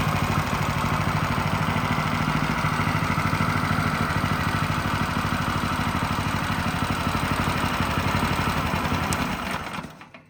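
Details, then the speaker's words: Water-damaged Champion log splitter single-cylinder engine after rebuild, started first pull: a steady, even idle with a regular low thump and no misses until shutoff; healthy, with no exhaust smoke or burning oil. "Well, I'm happy to report this engine runs quite well. You know, it started first pull. The engine sounds good and the smoking issue is non-existent."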